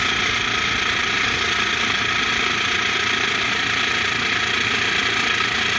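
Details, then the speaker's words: PBL Industries FP12 fuel transfer pump on Weekend Warrior LE3305 trailer after gear repair, tank near empty; steady high-pitched electric motor hum with fast even buzz, no grinding or stalling, pump sounds healthy. "i mean it sounds okay so let me get a quarter of a tank in there i mean it sounds like it's pumping fine"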